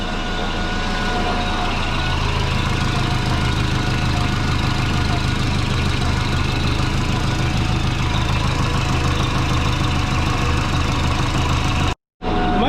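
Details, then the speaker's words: Twin-turbo Subaru (GT35) at rough loud idle: rapid chuffing pulse on the exhaust note, in time with the engine. Owner suspects an exhaust leak from a flange that isn't flat or from the header-to-head gaskets; not confirmed. "it just sounds like there's an exhaust lake down here somewhere yeah i can hear a chuffing going on everyone on the flank maybe one of the flanges isn't flat i hope"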